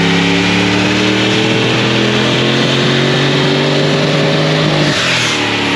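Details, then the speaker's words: LS V8-swapped GQ Patrol with 6L80e transmission and NGK Iridium plugs, heard from the exhaust on a dyno pull: strong rising pull, then the note breaks up and cuts out around five seconds; misfire under load. "So we are having an issue with this thing breaking down. You could probably hear it from the videos of the pulls from out the back. Really obvious to hear out the back of the exhaust."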